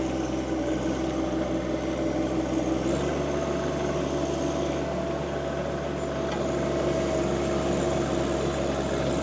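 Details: John Deere 2025R compact tractor driving a Tarter RT205 rototiller after its seized top gearbox (oil leaked out) was replaced. Steady drone and even gear hum with no knocking or grinding; healthy under load while tilling.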